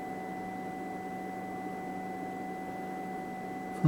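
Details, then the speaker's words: Tektronix TDS 540A oscilloscope at power-on, before repair: steady unbroken beep for about four seconds during boot, not normal; leaky electrolytic capacitors cause multiple self-test failures. "so this constant beep is not not normal there you go it booted up"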